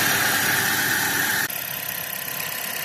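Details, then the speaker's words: 2013 Dodge Avenger, low-mileage ex-fleet car, at idle with A/C on at about 58°F and the compressor seen spinning: steady idle hum with a light, even whir and a brief level change partway. Normal compressor running, air ice cold. "Let's see if I can see that compressor spinning. Yep, right down here."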